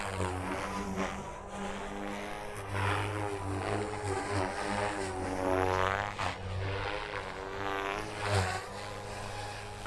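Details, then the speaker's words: Electric RC helicopter flying a manoeuvre sequence with the ESC governor gain correctly set: smooth rotor hum holds nearly the same pitch throughout, no sagging or surging; normal steady rotor speed. "as you can see it held pretty consistent rpm throughout the whole little sequence of maneuvers there"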